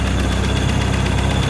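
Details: Car A/C running after recharge on a little Toyota truck, low side about 35, high side guessed around 200 by touch, vapor line cold; steady even engine idle with compressor running smoothly, faint high tone, no knocks or rattles; normal operation.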